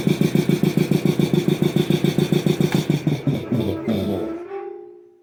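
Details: Rebuilt DeVilbiss 445 air compressor test run without inlet air filter, motor unused for years, unloader valve leaks slightly: thumps about 214 per minute with an uneven pulse, then winds down and stops; owner notes weird motor noises, cause unexplained.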